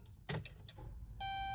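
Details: Chrysler/Dodge Grand Caravan that only starts sometimes; one sharp click on turning the key, then no cranking, just a dash chime; starter click, no crank, possibly a bad starter (codes still to be scanned).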